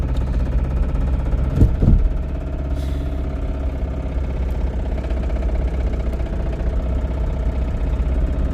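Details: Toyota Camry engine running with a low, heavy note and a deep rhythmic knock buried in the idle; worn connecting rod bearing.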